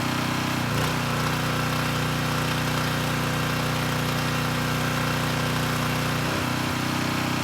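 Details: Coleman Powermate Pulse 1850 generator, about 23 years old, after fuel-system and carburetor repair (previously ran rough). A steady even drone at constant pitch with no misses or surging; normal running, engine sounds good.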